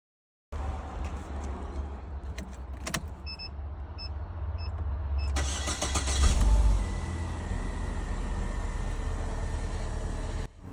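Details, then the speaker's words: 2016 Holden Barina after PCM replacement for crank-no-start with no injection pulse and no ignition control power: brief crank, then catches promptly into a steady, even idle. "New PCM installed. Ignition control is back in the car is running properly again."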